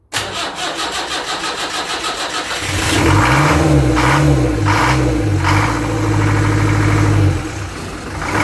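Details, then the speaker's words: Rebuilt Land Rover Series 3 2 1/4 diesel at first start: cranking catches into a hard, clattery diesel that revs up freely and falls back, running only briefly. Owner thinks the injection pump timing is a little advanced and will adjust it. "All right. Well, we're running. We're not running for too long. I think the pump time is a little advanced."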